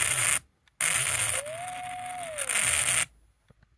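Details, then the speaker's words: Skywatcher EQ3 mount stepper motor stalling with loud rasping bursts and a rising, holding, falling whistle that sounds like grinding but isn't. The D plug has poor soldering and unexplained continuity between two pins; the plan is to resolder and replace the plug. "it's um it kind of stalls the motor and then this one is horrible as well it's not actually grinding I know that sounds a bit weird I know it sounds like it's grinding it's actually the stepper motor having an issue"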